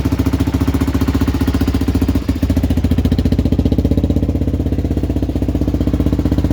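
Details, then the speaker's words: 1978 Honda XL250 barn find, warming up on battery: quick, regular single-cylinder thumping at steady speed with a loud Supertrapp exhaust bark; runs evenly, normal running. "we've got the battery on it now we've started warm up one sounds good as well"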